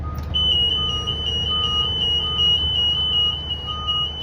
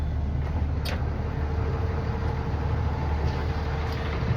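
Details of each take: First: Freightliner bus: shrill high-pitched alarm pulses rapidly nonstop; passenger door open or not latched properly, fixed by releasing latch and pushing door closed. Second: Freightliner bus idling with a steady, normal low engine rumble and no beeping after the passenger door alarm was fixed by releasing the red latch, reopening and properly closing the passenger door.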